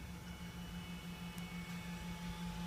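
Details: 2012 Camry Hybrid at idle/EV mode, inside the cabin, with the OPT7 H11 LED low-beam bulbs switched off: very quiet, only a faint steady hum. The humming-whirring noise caused by those bulbs is gone.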